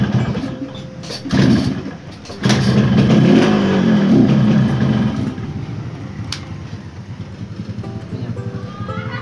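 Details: Yamaha RX-King two-stroke after rewiring ignition and kill-switch circuit: engine catches, blips up briefly, then settles into an even two-stroke idle under background music; runs normally.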